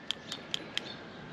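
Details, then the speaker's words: Removed old PCV valve from a Subaru engine, shaken by hand: four sharp single clicks about four a second instead of a light rattle. It was cleaned before, plugged up again within a week and looks stuck again, so it is a bad PCV valve. "So, definitely a bad PCV. It sounds like crap and it looks like it's already stuck again."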